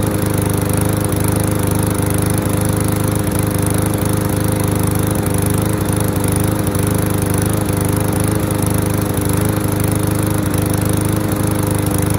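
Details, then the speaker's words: Curbside MTD lawnmower, old contaminated gas with water and debris found in tank: steady, even drone at constant speed with no surging or misses; now running cleanly. "that sounds better awesome"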